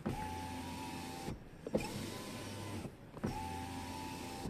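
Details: Tesla Model 3 window after silicone lubricant on the glass seal to cure squeaking: three smooth, even motor whirs with short stops and no squeak or rubbing; the window runs quietly.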